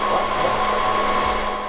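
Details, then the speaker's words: Server under burn-in test, with a large neodymium magnet held close: loud strained fan roar with a ~1 kHz whine, hot burning smell, fan redundancy and fan RPM errors; 3 of its 4 cooling fans had stopped. "When we opened the server we found that 3 of the 4 fans had stopped working. Not good during a burn in test."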